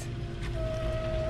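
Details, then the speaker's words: Garden hose faucet feeding an Orbit B-Hyve automated watering timer: steady high pipe whistle at one pitch over a low rumble once the tap opens, loud inside the house; owner suspects undersized piping. "I don't know if the GoPro can catch it but it's a very loud noise that you can hear on the inside of the house and I don't like that"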